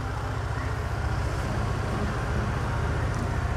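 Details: Honda Air Blade 110 scooter, idle lowered from too high to 1700 rpm via adjustment screw: low even putter, steady, no hunting or surging; normal idle.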